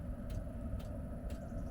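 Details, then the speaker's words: Espar D2 diesel heater heard at the outside exhaust port, starting up set to 22 °C after an atomizer screen replacement at 530 hours: steady burner rumble with an even fuel pump tick about twice a second and a bit of white smoke; running normally. "You hear it clicking. There we go. That's normal, a bit of white smoke, especially after an install."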